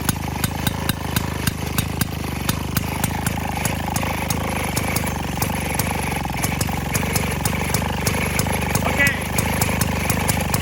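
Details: 1928 Maytag gasoline washing-machine engine, nearly 100 years old, on a cart, just started: crisp even pops about three a second over a low putt, no misses or knocking; the old single runs sweetly.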